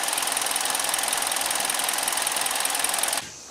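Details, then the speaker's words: 2012 Kia Soul after engine swap, after test drive with no check engine light, still burning a little oil from exhaust: even, fast light ticking over a steady idle, no knocks or misses, then clean shut-off; idling healthy. "Okay, I took it for a test drive, everything's fine, no check engine light."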